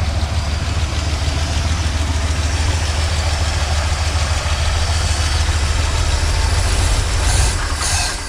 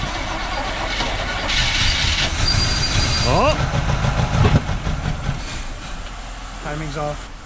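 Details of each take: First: 1977 Chevrolet C10 small-block V8, first start in possibly many years, on choke: deep, steady idle with an even low rumble and no knocking or misfire standing out; normal idle, though a troubling noise appears later when rpm drops. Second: 1977 Chevrolet C10 small-block V8, first start after possibly many years sitting, choked: starter grinds it over with a brief uneven catch that never settles into a run; fouled spark plugs stop it firing.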